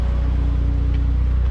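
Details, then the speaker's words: 2002 Saab 9-3 convertible warm after a day's commuting, about 85 degrees with AC running, owner worried over oil light at extreme heat: smooth steady low idle, faint AC hum, no knocking or ticking; sounds normal. "here is the engine running we commuted with it all day it's about 85 degrees obviously the ac is running it sounds really good obviously it sounds normal"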